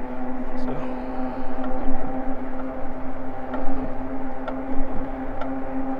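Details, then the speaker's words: Eahora Juliet e-bike while riding: a faint clunk about once a second over the motor hum, once per pedal turn, caused by a bent crank arm. "so not sure if you can hear that clunking every rotation but that's that bent crank"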